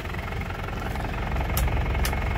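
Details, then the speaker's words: 2005 Isuzu Panther Grand Touring turbo diesel, manual, key pulled out yet engine keeps running on its turbo timer; deep, even diesel idle with a couple of brief clicks; normal idle on turbo timer. "Ini kuncinya saya cabut, mesinnya masih nyala ya. Jadi turbo timernya masih aktif ya."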